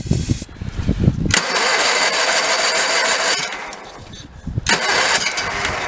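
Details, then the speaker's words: 1985 Case Ingersoll 448 Hydrive tractor, Onan B48M/B38M twin, carburetor top off, no choke: repeated cranking with brief sputters, never catches; zero fuel coming from pump, later found diaphragm spring fitted on wrong side. "And if you look right there, we have zero fuel coming up. I'm going to give it a little more chance, but we have zero fuel coming out of there. Yeah, that fuel pump, something's wrong in there. No question."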